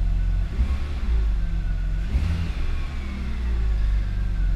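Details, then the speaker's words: BMW E46 325xi touring wagon after repairs, codes cleared and loose intake camshaft sensor wire fixed: deep steady engine note swelling smoothly when revved, no misses or knocks; runs strong and healthy. "sure does seem so this engine feels really really strong all right so that's the bulk of the repairs for this e46 wagon taken care of the thing runs like a dream now"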